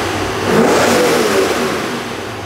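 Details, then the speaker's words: Supercharged C5 Corvette after repair of its earlier knocking noise. The engine revs cleanly and settles back smoothly with no knocks or rattles, where before it could not be revved because it sounded like it was coming apart: normal revving. "I wasn't able to rev it up like this before because it sounded like it was coming apart that sounds good now that's what a motor is supposed to sound like"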